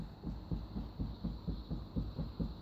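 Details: Opel Kadett C16NZ, worn sagging door hinge: dull, low knocks about four times a second as the loose door shifts; worn door hinge knock, also heard while driving.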